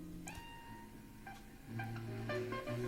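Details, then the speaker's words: Longines Symphonette LMR-2400 (Hitachi KS-2400) early-1970s AM/FM receiver under repair: clean music on the AM band with no hiss, crackle or dropouts. AM works, while FM gives only static, so a fault is suspected on the FM board. "the AM board, or the AM band works."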